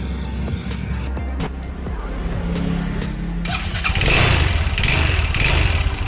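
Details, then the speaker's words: Yamaha Xeon RC 125cc scooter, engine oil ran dry, revved with the CVT belt off: still a rough, uneven low rumble and knocking from deep inside. Suspected in the bottom end (connecting rod, crankshaft bearing or piston), not confirmed. "tanpa panpel dan bagian sip itu terpasang masih bunyi, itu dipastikan di bagian tengah ya, antara stang seher, laher kruk as, dan pistonnya ya."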